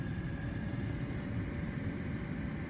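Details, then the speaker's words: 1999 BMW E36 328i automatic convertible at warm operating temperature; low quiet even idle with no bouncing or hunting, fan audible. "temperature is where it should be idle smooth steady exactly what you want to see no bouncing up and down you can hear the fan going"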